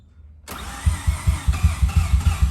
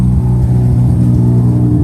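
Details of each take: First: Mazda RX-7 FD rebuilt rotary, MAP sensor hose just reconnected to upper intake manifold: catches after short crank then stumbles in uneven, lumpy pulses, sounding like running on one rotor. Finding: rough running. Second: Rebuilt Mazda FD RX-7 rotary after fixing a bad MAP sensor connection, water temperature good: deep even rumble with no stumble, revs better, no longer sounds like one rotor; idling on its own.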